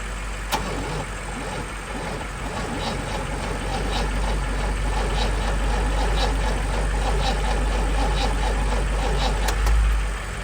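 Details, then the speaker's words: Car sitting unused for a long time; starter cranks evenly about three pulses a second for ten seconds but the engine never catches: crank, no start; no starting fluid tried, oil level looks fine. "This car has been sitting for so long. Oh my gosh, she wants to turn over so bad."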